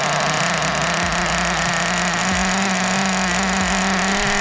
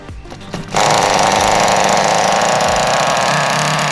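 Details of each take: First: 2001 Kyosho Pure Ten V-One S nitro RC car, 20 years old, first start after restoration with engine primed: small engine buzzes at a high, fairly steady pitch, then blips up and down; it starts and runs. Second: Restored 2001 Kyosho Pure Ten V-One S nitro RC car, first start after priming: shrill buzzing two-stroke note, burbly and uneven rather than crisp, after a quiet lead-in; engine running very rich, exhaust still to be fixed.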